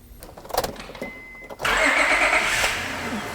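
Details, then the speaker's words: 2005 Honda Odyssey sat for a few months and suspected of a blown engine, started in the shop with oil low: brief starter whir, then a steady, even idle with no knocks or ticks; engine sounds healthy. "i don't know about you but especially for something that's been sitting for a few months this doesn't sound or run like an engine that is blown up"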